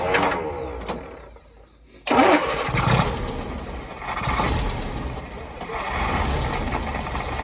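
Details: Land Rover Series 2.25 petrol engine after a service and spin-on oil filter conversion, first start after cranking to build oil pressure. It cranks a moment, catches cleanly and settles into an even idle with no stumble; oil pressure built and no leaks.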